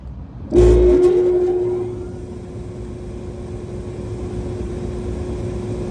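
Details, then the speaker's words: York package unit with the newly replaced evaporator blower motor, expected to draw 5 amps: a thump at start-up, then a steady, even hum with no rubbing, rattling or wobble; normal blower operation. "so we're supposed to be pulling 5 amps so let's go ahead and everything sounds good we're going in the right direction"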